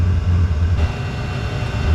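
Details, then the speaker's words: Diesel heater with exhaust full of sharp bends, routed into ventilation: deep rumble surging and fading unevenly over a couple of seconds; unstable combustion, viewers suspect the exhaust routing, so it is being removed to test. "all right folks it is acting kind of weird still making that noise a few people have said that it's because I have sharp bends in my exhaust and that my exhaust isn't running straight down"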